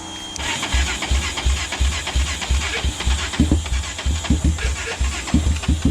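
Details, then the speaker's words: Honda 400EX ATV single-cylinder, first start attempt after starter rebuild, compression up from 10 to about 90 psi: slow uneven cranking about three turns a second with weak firing pops that don't catch; sputtering, battery thought to be dying. "i think the battery just died on but she's putting a little bit"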